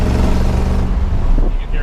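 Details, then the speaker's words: 1971 Ford F100 Sport Custom with a new automatic transmission, driven under throttle: a deep engine drone that drops and settles cleanly as the box kicks down a gear. Normal, crisp kickdown. "can hear it just kick down there. I'll do it again just so you can hear it."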